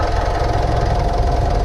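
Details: 2015 Mitsubishi Pajero Sport Dakar 2.5 VGT turbo diesel, automatic, 83,000 km, engine bay, already warm from driving: a steady low rumble with even, light clatter at a constant idle, no misses or surges, healthy.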